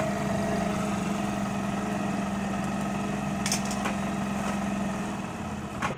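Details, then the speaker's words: Hero Honda Splendor Plus after a half-engine (top-end) rebuild holds a steady, even idle with a low hum, no knocks or misses, and no smoke where it smoked heavily before; normal idle. "पर अब कोई धुआं नहीं मार रही है ये। अब इसका साउंड ऐसा है, देखिए आप।"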